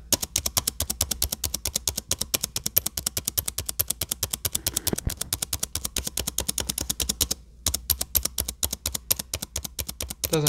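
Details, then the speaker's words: Dell XPS 9570 laptop spacebar clicked rapidly with mic below the keyboard; faint squeak on some presses from the right side of the key, left side fine. Fix attempted by prying the key up with a flat screwdriver. "happen every click but it happens often enough to get annoying so we're going to try to fix that"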